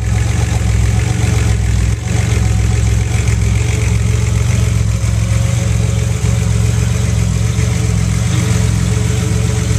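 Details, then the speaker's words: Buick with newly installed Bailey Engineering TR6 ignition system running waste-spark smart coils from current V6 trucks, 2012: catches cleanly and settles into steady, deep, even idle with no misfires or stumbles; normal idle. "I'm going to go ahead and fire up the ignition and I'll actually start the car here so you can hear it wrong"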